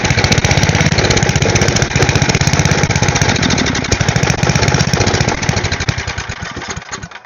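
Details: Small engine for a go-kart after cleaning carburetor jets/passages, run without choke on carb cleaner: fast uneven sputtering chuff, about four a second, then dies; spark plug possibly not fully tightened, cause unconfirmed.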